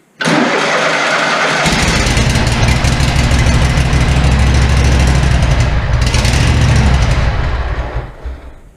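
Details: SCAG zero-turn mower during a tune-up, choke cable needing replacement, fuel drawn from a can through the filter: it cranks briefly, catches and settles to a steady even idle with no misses or knocks; starts and runs cleanly.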